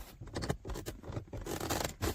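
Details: 2010 Lincoln Town Car door armrest: irregular soft creaks and rubbing squeaks with each press, inner trim piece rubbing the pad without cushioning; cheap, poorly designed armrest.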